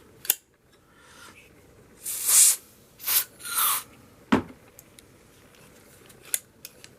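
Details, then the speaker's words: Interior door handle latch after cleaning and lubricating the sprung latch mechanism that had squeaked and stuck: a few crisp clicks and smooth slides with no squeal or scraping; it now operates quietly and freely. "You can't hear that anymore, yeah. You can hear the difference. It's a lot smoother."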